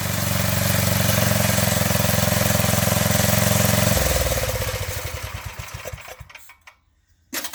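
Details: 1985 MTD two-stage snowblower, single-cylinder engine run with half the housing off after a carburetor adjustment: even, steady beat for a few seconds, then shut off and coasting down; sounds healthy.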